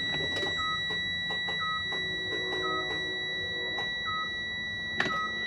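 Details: Freightliner Cascadia no-crank no-start, possible CPC failure, key on in neutral: short chime beeps about once a second over a steady electronic hum; dash warning alert while the truck won't crank.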